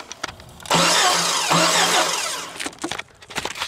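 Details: 1998 Jeep Cherokee no-start: starter cranks briskly about two seconds but never fires, with distributor cap removed to watch the rotor turn; no spark.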